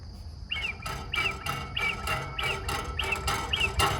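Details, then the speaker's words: 1987 Gravely Professional 18G riding mower, Kohler Magnum 18 engine, about 2,177 hours, running: short high chirping whistle pulsing about twice a second over low engine rumble, air escaping through a crack in the fuel cap gauge, so the fuel system can't pressurize properly. "that that is a hissing or whistle sound and that is coming out of that Center slit or crack and unfortunately because of that the fuel system is not 100% efficiently pressurizing as the engine is running"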